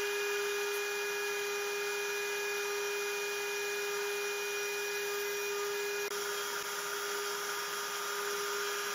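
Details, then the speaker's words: Genmitsu 3030 PROVer MAX desktop CNC slotting 6061 aluminum plate after switching from the 300W stock spindle to a 1.25HP Makita router: steady router whine and even cutting hiss, no chatter or vibration, cleaner cut. "it sounds much better I can't hear the vibration anymore the cut looks much cleaner"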